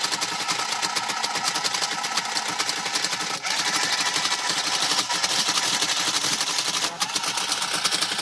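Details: TIM8 relay computer driving a Fenix TK41 tape printer through a parallel port: dense, fast relay clatter with rapid crisp ticking and brief pauses as it prints. It is working normally after the switch-bounce issues were fixed.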